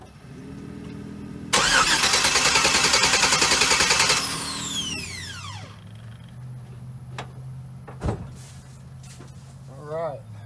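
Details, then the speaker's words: V8 with misfiring cylinders and fuel-wet spark plugs, cranked for a compression test. The starter turns evenly at about 3.5 beats a second with no lazy beats. The gauge reads 150 psi, which is good; spark and injector pulse are present, so fouled plugs are suspected. "see what we got we got a hundred and fifty pounds that's good we found out we did have good compression on those misfiring cylinders"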